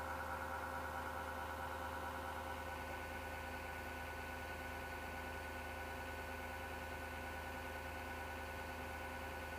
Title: PC Grinding Noise 07.03.2019 Part 3